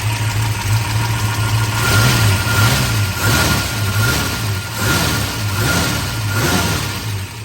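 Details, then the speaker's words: 1966 Shelby GT350 4-speed, numbers-matching 289 HiPo rebuilt to 331 stroker, warm after driving: lumpy V8 idle with light steady valvetrain tick; normal solid-lifter noise. "is still solid lifter engine as you can hear the solid"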